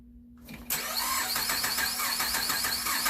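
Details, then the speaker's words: 2008 Buick Enclave with an overheating complaint, cranking fast at about three and a half beats a second with a centre spark plug out and an audibly uneven, lopsided tone; dead cylinder with no compression. "So if you guys heard there, you can hear that audible tone difference. So there's a dead cylinder."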